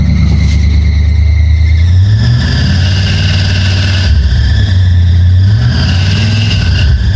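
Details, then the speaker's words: Chevy Scottsdale truck after new engine parts, distributor ticking gone: deep engine note rises and falls cleanly with throttle, idling high, faint squeak from new belts; runs much better. "And damn, the truck sounds like it's running way better. Idling pretty high, but. Sounds like it's running much, much better."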